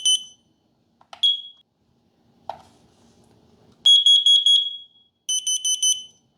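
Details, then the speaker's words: Kidde KN-COEG-3 plug-in carbon monoxide/explosive gas alarm and a small AAA-battery detector on test-button press: short piercing chirps then rapid high beeps, one clearly louder; both sound correctly. "To give you an idea of what each one sounds like, I'll push the test buttons."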